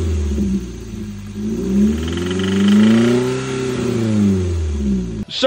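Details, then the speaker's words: Toyota MR2 Spyder 1ZZ-FE, still runs and drives fine: a dull knock follows the revs as they climb and fall; suspected worn rod bearings, some metal shavings found in the oil filter, not confirmed. "we started hearing this weird noise coming from the engine didn't really think much of it it got slightly worse so I started doing some investigating on it and uh I think we can bet that it is the rod bearings"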